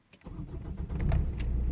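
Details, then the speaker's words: Peugeot 405 1.9 XUDT diesel running on veg oil, after fitting a BMW 320D inline filter bypassing the standard plastic housing; warm start at mild 10°C, catches quickly into steady idle; earlier whistling, suspected pump sucking air, is gone; normal. "Yeah, so it's starting really nicely now. You could hear the pump before, well, what I imagine was the pump sucking in air before, a kind of whistling noise almost, so that's gone now, so I think we can call that job a success."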